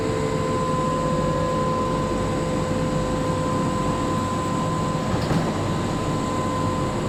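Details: Kelana Jaya Line LRT train, set 54: steady whoosh of the running car with a clear unwavering high whistle on top, an odd fan sound, cause unknown.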